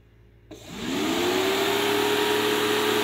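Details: Mercedes 300SD W126 new aftermarket electric auxiliary cooling fan, tested after replacing the noisy old one: spins up quickly to a smooth, steady hum, even pitch, no rattle or scrape; healthy.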